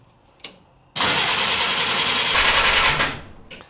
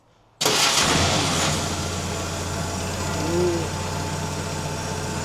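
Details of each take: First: 1950 Willys M38 at its first start in 15 years with a redone fuel system, a 12V system possibly with a 6V starter, and choke applied. About two seconds of steady cranking without firing: cranks but no start, with no fuel reaching the pump yet. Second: 1950 Willys M38, cold, at its first run in 15 years. It catches, flares, then holds a steady, slightly fast idle; it runs better with some choke, and a fuel leak was spotted afterward. Normal cold idle on choke.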